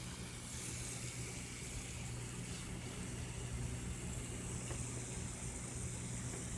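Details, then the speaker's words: Vintage, possibly 1970s, Teledyne WaterPik Model 71 after leak repair (reservoir-to-pump tubing replaced), reservoir filled: steady low buzz pulsing evenly without sputter; normal pulsating pump operation, leak fixed. "and there we go my steady pulsating action"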